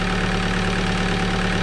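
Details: Alfa Romeo 156 JTD engine at steady idle with a fast, even light clatter over the low rumble; valvetrain chatter from worn cam lobes.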